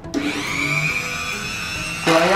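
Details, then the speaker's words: MOLLAR MG005 130 W electric mini grinder: motor spins up to a coarse, uneven high buzzing whine, then jumps louder; harsh rough running, fan possibly rubbing the housing, so stop using it. "kasar Stop jangan dilanjut untuk menyalakan atau misalkan sama sekali kita Nyalakan dia cuma bergetar doang"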